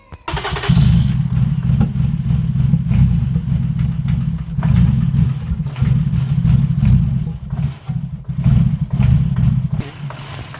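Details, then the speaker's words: 2005 Toyota Highlander crank-no-start, no codes, parked a month with rat droppings: lumpy uneven idle after new front plugs, only three cylinders firing; suspected fouled rear-bank plugs. "so I think with the way he doing now it's only these three cylinders that are working"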